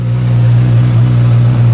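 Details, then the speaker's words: 2016 Suzuki GSX-S 1000F during a rebuild, tank and screen refitted, starting right up and settling into a smooth, steady, even idle with no knocks or rattles; normal idle. "And let's start her up. Tires right up. Beautiful Suzuki 1000."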